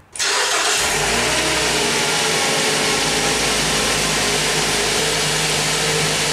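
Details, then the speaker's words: A 2010 Mazda 3 2.0L, after new AC stretch and serpentine belts, starts quickly and settles into a smooth, steady, quieter idle with no belt squeal or chirp. "this sounds so much better it's so much quieter everything looks the way it should"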